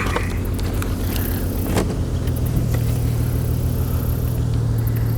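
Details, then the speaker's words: 2002 Chevy Trailblazer with a cylinder 3 misfire code, idling with a low, uneven rumble that stumbles now and then. It revs up fine; a disconnected coil is suspected. "yeah it's misfiring right now huh so and the thing ran fine"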